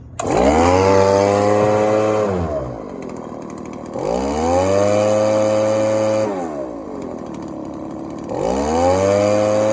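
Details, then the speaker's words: Echo ES-1000 two-stroke blower, previously over-oiled with the wrong mix and not starting, now repaired and carb tuned (low screw for max idle rpm, high screw for transition, slightly rich): three clean rev-ups and returns to idle, no stumble or bog. "Basically what I did, guys, the low mixture screw closest to the engine, you turn that till you get the max RPM at idle, and then you turn your high speed so you get a nice transition and you get a decent RPM coming out of it."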